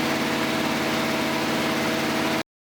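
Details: Newly built Ford 239 flathead V8 run-tested on an engine stand: smooth, even idle with steady low beat, no knocks, ticks or leaks, running clean until switched off; normal healthy idle.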